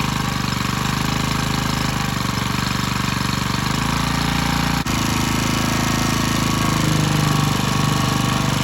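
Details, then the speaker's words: Generac CW15K gas water pump, throttle rod too long for the carburetor: small engine held at a high, hard, unwavering speed that never drops back; it is overrevving because the misadjusted linkage holds the throttle open. "So this rod was too long for this carburetor."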